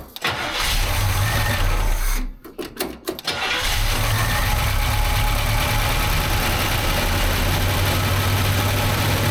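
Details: One-owner 1968 Chevy Camaro SS 396 big block, first start after sitting 26 years with an apparently locked-up motor: catches after a brief stumble, then a deep, even, steady idle with no misses or knocks; normal idle.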